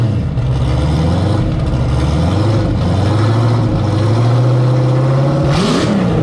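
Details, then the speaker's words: Turbo Camaro ("Cowmaro", 1200hp) V8 first fire in a while after engine was out, fresh oil, warmed to operating temperature with coolant about 190°F; deep steady idle, then clean rev with smoothly rising pitch, no knocks or ticks. Normal idle and revving. "all right fired it up got it up to uh operating temp got the cooling up to uh about 190 degrees and it sounded good"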